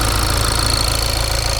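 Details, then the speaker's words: Cold diesel idle with piezoelectric injectors: fast, even sewing-machine ticking from injectors and high-pressure pump behind engine, no squeak or banging, which is normal. "What is important is that there must be an even sound of the sewing machine without squeaking. banging, metal and the like. Now you will hear what that sound looks like. So with me, since they are piezo electric injectors, that sound is present."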